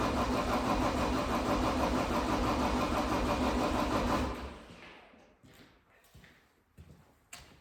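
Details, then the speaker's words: 2012 John Deere 333D skid steer with reman long block diesel, first start attempt: steady cranking about three turns a second for four seconds, no firing; air in the fuel system despite the pre-filled filter, being bled. "let me find a screwdriver and we'll see if we can bleed some air out of the fuel system I filled that filter with diesel fuel before I put it on there that now there's some air in there"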